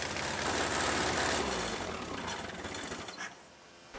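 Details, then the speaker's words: Bobcat 642 skid steer, first run after purchase, engine needing idle adjustment: rough, rapid ticking puff about four per second over loud engine running that dies down; terrible exhaust manifold leak, manifold bolts to be snapped off and repaired. "Clearly it needs a little fine tuning. We gotta get her to idle or set the idle settings. And also it's got a terrible exhaust leak."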